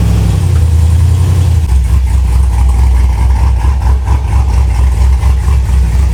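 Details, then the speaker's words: V8 with regular port injectors, about 76,000 miles, reportedly tuned by others: lumpy uneven idle with a loping low beat, sounding weird and not tuned right; later found running rich. "oh yeah I do hear that sounds so weird [Music] this thing is not tuned right"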